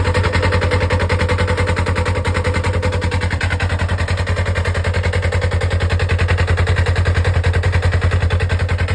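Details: Polaris RZR (296564), engine idling in park with CVT cover on: fast, very regular low thumping about 3.5 beats per second over the idle; CVT noise, cause unknown.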